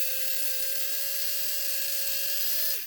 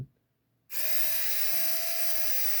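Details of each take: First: Bulldog F1 BDR car on a 12-volt power supply bench test: high steady whine with a harsh gritty buzz of gear noise, winding down as power is cut; previously sounded like a bag of bolts. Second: It sounds faster. You can hear the changing RPM.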